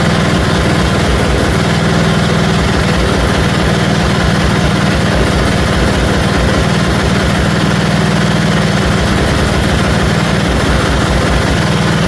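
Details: 1974 Dynastar lawn tractor after revival from 30 years sitting, engine freshened, magneto coil replaced: loud steady thumping idle that swells and sags slightly every few seconds; mild surging gallop, owner thinks more carburetor work is needed.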